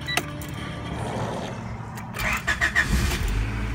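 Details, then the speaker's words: 1992 Honda Accord, sat for a while, about 332,000 km, check engine light on: starter churns about three to four beats a second, never fires; crank no start, owner suspects coolant temp sensor. "probably this coolant temp sensor I bet you bet you that's what it is come on I'll bet you that check engine light has something to do with that"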